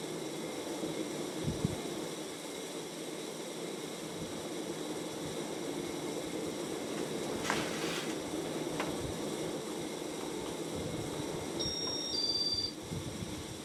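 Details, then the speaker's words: 1994 Casablanca Panama ceiling fan (50 or 52 inch) at high speed: steady whooshing hiss with faint whirring from worn, noisy motor bearings; quieter since WD-40 but not fixed. "it again yep there comes the sound yes that's the sound I was referring to granted it isn't as loud as it was when I first put it up but the ad is still there"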